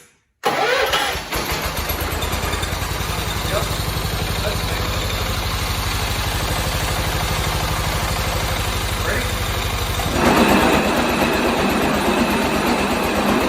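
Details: 1986 John Deere 216 lawn tractor, small single-cylinder engine: starts and runs with a loose, buzzing tinny rattle riding on the idle beat, the sheet-metal side panel vibrating.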